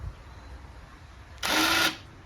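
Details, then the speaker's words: 2004 Arctic Cat 400 4x4 after 4x4 actuator repair (bad switch and PCB relay replaced), key on, switching 2WD/4WD: short high whirr of the actuator motor, about half a second, operating normally. "But I can turn the switch on, you can hear it whine like it should."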